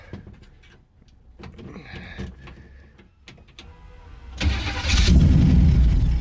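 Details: Pontiac Strato Chief cold start after sitting a while with a new homemade exhaust, choke held partly: starter churns about four seconds in steady beats before the engine catches and roars up; slow, reluctant start, cause not confirmed.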